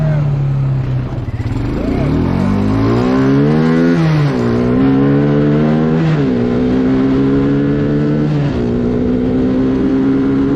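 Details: Bayou 220 ATV, sat for 8 years, on a test ride with a helmet camera; the single pulls through the gears, pitch climbing and dropping at each shift with no stumble. All gears work, no bogging. Normal running under acceleration.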